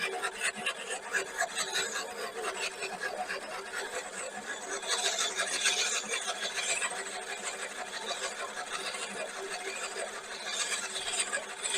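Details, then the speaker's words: Einhell battery reel mower backlapping: reel turned backward by socket with Razen P abrasive paste along the blade, steady dry rasping rub against the bedknife, sharpening the blade. "on va mettre de la pâte tout le long ici de la lame jusqu'à tempant qu'on entende un frottement donc on va utiliser la pâte de chez la pâte abrasive de chez Razen P pour pouvoir affuiter cette lame"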